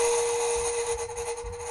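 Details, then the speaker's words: House water pipes squealing from low water pressure, cured by adjusting the pressure regulator at the water meter: a steady, piercing squeal held at one pitch. "This could be related to your water pressure. I recently had a problem with my water pipes squealing, I adjusted my water pressure, and it resolved my problem."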